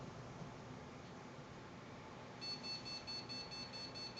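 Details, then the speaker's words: New PC build powered up on an Antec 900W power supply with no RAM installed: steady fan hush, then rapid repeating high-pitched beeps start halfway; motherboard error beep for missing memory, fans running. "of course we get an error fans are running but it won't let me do any of these LEDs yet now if we can one thing you can look at yes I know it's beeping there it goes"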